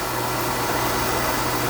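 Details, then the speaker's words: Oil furnace burner after resetting the drawer assembly that was set way forward, delayed oil valve: steady roaring fire with low even hum, no puffing or rumble, burning off excess oil, air band open. Normal burner firing. "We've got a delayed oil valve here. Should be a little delay, and then she should fire."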